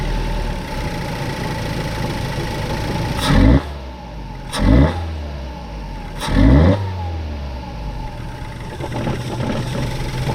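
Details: 2014 Ford Focus, 200,000+ miles, after spark plugs and throttle body cleaning: idles steadily, three quick blips flare and drop back, throttle response hesitant; relearning idle, still being diagnosed for bad idle and unresponsive throttle.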